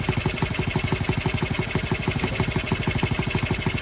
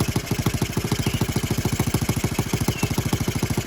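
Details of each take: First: Honda Z50R restoration, first start with muffler fitted, no choke: quick, even metallic rattle on every idle beat; owner first blamed exhaust gasket, then found the cylinder head loose; rattle from loose cylinder head. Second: Honda Z50R after retightening the cylinder head bolts to about 10.5 ft-lb, left finger-tight after valve adjustment: crisp, regular single-cylinder idle about two hundred pulses a minute, steady with no ticking; head leak gone, normal idle.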